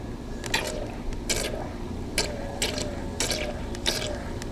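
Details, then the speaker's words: 12 V boat bilge pump rated 500 gallons per hour, powered from a battery and set in a bucket of water; steady whiny pump hum under irregular splashing and clattering as it shifts in the bucket; normal bilge pump operation. "it's definitely working sure you can hear that a whiny sound"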